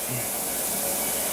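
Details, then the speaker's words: SportsTech F31 treadmill after replacing its cracked deck: even, steady whir and airy hiss from the belt and motor with no knocks or rubbing; running normally. "don't remember if it's any noisier or quieter than the previous one but there it is"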